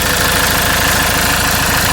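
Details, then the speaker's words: RAM ProMaster 3.0L diesel at idle, just restarted after the intake manifold, throttle body and EGR valve (codes P0402, P0101, limp mode) were reinstalled. Even diesel clatter, steady rhythm, no stumbling or extra knock; normal idle, no leaks. "so as you can here the engine is running so now let's go back under the hood and do a visual inspection it sounds good"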